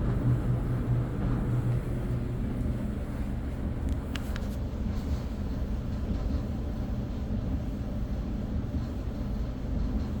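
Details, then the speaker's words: Whirlpool dryer after replacing bent blower wheel that had been rubbing: steady, even low rumble with no rubbing or scraping returning; blower runs smoothly. "Dryer is on now, it's running. We're gonna let it run for about 2 minutes and see if that noise will come back."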